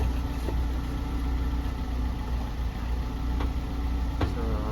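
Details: Chinese-made gasoline vehicle engine that kept stalling after starting, fixed by restoring power supply to the fuel pump: steady even low idle with no misses or surges, smooth murmur; running normally now.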